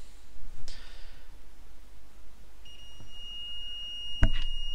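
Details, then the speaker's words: PS4 CUH-1200 SAC-001 board with no disc feed: the multimeter gives a steady continuity beep at about 1 ohm on a fuse. All three checked fuses show continuity and are intact. "on I you can hear that that's one dropping so we've got continuity across all three of those fuses"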